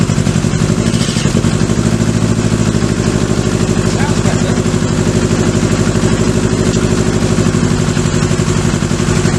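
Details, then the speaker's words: Kawasaki Z650B four-cylinder, rebuilt carbs refitted, fuel poured directly into the dead cylinder's carb: lumpy fast idle with missing pulse, then revs jump and it sounds better on all four; fault confirmed in that carburettor, not the spark plug. "guys you hear that then as if you went in suddenly the Reds went high and it sounded a lot better so definitely a problem lies with this carburetor"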